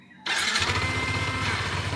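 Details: Yamaha Nmax scooter with a newly installed alarm and refitted speed sensor, started by remote: quiet background, then the engine catches at once and settles into a steady, even idle. It starts and runs normally.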